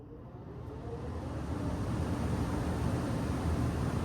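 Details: Home furnace blower switched back on after changing the filter (filtration level 600); gap to be taped, owner notes a whistle through the vent when running. Low, even air rumble swells smoothly and holds steady; blower running normally.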